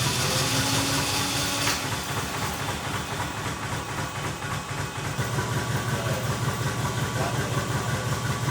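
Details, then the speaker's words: 2JZ-swapped Toyota van, engine reportedly about 30,000 miles, first start, possibly bad gas: uneven stumbling idle with loose irregular beat over hiss, easing as it comes alive; misfire, cause unconfirmed. "Huh? It's not misfiring as bad now. Right, yeah, she's coming alive."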